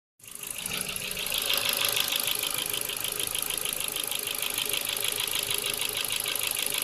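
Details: Ford Focus 2 with a 1.6 100 hp petrol engine, piston group replaced last summer without boring: steady light ticking of roughly three per second over a smooth idle; owner suspects the valves or cylinder wear, not confirmed.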